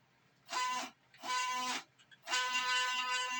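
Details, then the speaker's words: Small CNC router on LinuxCNC, stepper motors jogging axes after raising jog speed: three clean bursts of steady tuneful whine, no stutter or grinding; smooth running after fixing earlier drive problems, new motors not needed. "that's actually smooth compared to a lot of your homemade or home operated CNC routers machine CNC machine Mill routers um but it seems like I've actually got smooth action man"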